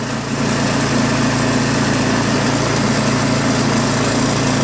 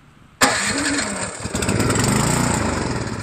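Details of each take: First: New Craftsman snowblower with Chinese PowerMore single-cylinder engine, after carburetor cleaned of gum and fuel system blown out: steady, even full-throttle drone with no hunting or misses; engine sounds really good, normal running. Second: New Craftsman snowblower, Chinese PowerMore small engine that won't start; with carb cleaner sprayed into the cylinder it catches with a sudden roar and runs rough, spark and compression good, no fuel reaching it due to ethanol-clogged carburetor.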